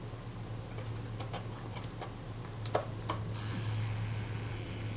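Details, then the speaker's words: Zeiss Ikon Contaflex II 35mm SLR during service reassembly, self-timer tab pulled back and released: a few handling clicks, then an even high-pitched buzz as the self-timer runs down smoothly; escapement normal. "that's paul just pulled back the tab on the self timer and you can hear it running down that's exactly what that does when it's released"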